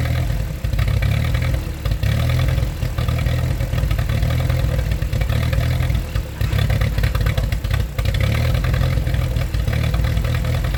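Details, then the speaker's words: 1947 Ford 8N tractor, just started on jumper cable, out of gear: deep uneven idle with loose clattery beat repeatedly sagging near stall, while carb is adjusted with a screwdriver; rough idle, expected to smooth out. "all right well you can see I just ran and got a screwdriver came back I thought she was gonna shut up so I'm now adjusting the carb a little bit you're gonna hear in a few seconds that she does smooth out"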